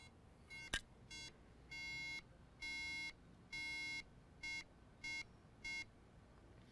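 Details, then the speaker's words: Older 13-inch MacBook Pro, board A2530, won't turn on; clear high startup tone beeps three short, three long, three short with front light flashing — corrupt EFI firmware, EFI chip to be reprogrammed. "so three beefs three short ones three long ones and three short ones that's an indication of a corrupt efi firmware"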